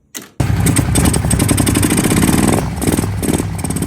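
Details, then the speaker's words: Kawasaki Brute Force ATV bought not running, stuck valve fixed, carburetors refitted; starts with a thump then choppy idle with stumbling beats, still missing, owner suspects the carburetors, to be cleaned and rebuilt with OEM parts. "So, I've got this thing to where it'll run pretty good like idle now, but it's still missing a little bit. Yeah, you can see you can hear it's missing."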